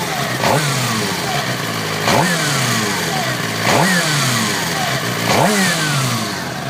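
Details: Suzuki GSXR 600 K6 revved four times: thin whine rising and falling with revs; persists after starter clutch and cam chain/tensioner were replaced.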